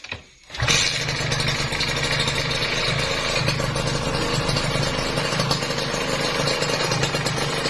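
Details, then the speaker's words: Kawasaki Ninja RR two-stroke after its clattering piston was replaced with an NPP piston and rings, on the old whitened bore: it catches quickly and settles into a crisp, even idle with no rattle. "Itu nggak ada kemeletek ya, pas turun halus banget, halus. Ini asli halus banget."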